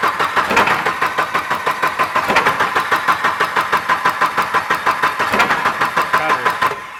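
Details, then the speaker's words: Volvo 240 turbo drift wagon, fuel pump replaced, weak battery, intake clamp undone: fast uneven cranking with rough shudder that never catches; losing spark, possible fuel flooding, timing suspected off; crank no-start with misfire. "Yeah, I mean it's losing spark somewhere. You can hear it."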